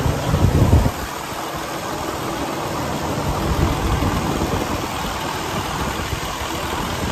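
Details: 2012 Western Star 4900FA with a DD15 diesel (475 hp, 13-speed manual). After a brief thump it settles into a steady raised idle, even and free of knocks or misses. Normal high idle.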